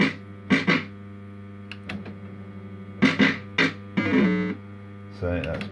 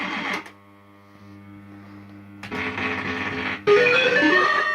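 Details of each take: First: System80 machine with healthy sound board, the comparison machine next to one whose sound chip degrades when warm: crisp, clean electronic jingles and chimes over faint mains hum, no crackle or distortion; normal sound output. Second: System80 gaming machine, warmed up after running a while: tunes play with harsh crackle and buzzy distortion on some notes while others stay clean; owner suspects one voice of the socketed 3-voice sound chip has failed.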